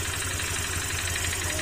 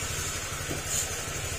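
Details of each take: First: Honda Click 150 scooter at idle: a light tapping about three a second that disappears when revved, diagnosed as a worn piston pin rather than the connecting rod or crankshaft. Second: Honda Click 150 scooter idling after overhaul: steady, even beat with no knocking or tapping; earlier knocking came from resting on steel and possibly a slightly loose piston pin, now gone.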